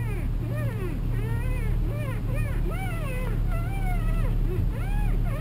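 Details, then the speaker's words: 2002 Toyota Camry, in cabin at idle: repeated rising-and-falling squeaks, almost a whine, while turning the steering wheel; power steering fluid found below minimum, suspected cause; squeak later attributed to the steering wheel. "sounds like a wine almost let's go take a look and see what that problem is"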